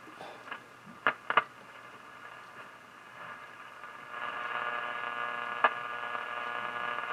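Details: Philco 38-7 Bakelite radio after paper and block capacitor replacement, giving mostly hiss and crackle with a faint station barely coming through; weak reception while the volume control fault is being addressed.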